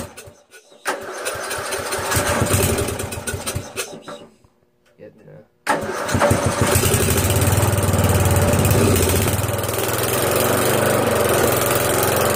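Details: 12.5 hp flathead single swapped into a Castle in place of a 15 hp OHV, after adjustments following a failed cold start, gives a few cranks and sputters, a pause, then catches and holds a steady, even thump; runs fine.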